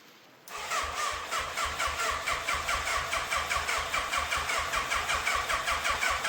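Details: Fire-damaged Yamaha FZ750, 41,000 miles, first start after fuel filter, airbox and carbs refitted: starter cranks evenly about two and a half beats a second, never catches; frayed choke cable not pulling fully, then came off; carbs on right leaking fuel.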